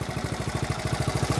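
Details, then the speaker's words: 1970 Honda Trail 70 single idling after sitting several years with gas drained, Sta-Bil added; even low thumping about thirteen beats a second, no knocks or stumbles, no issues, normal idle. "but you can see she's uh that sound brings back memories no issues just a fun little ride"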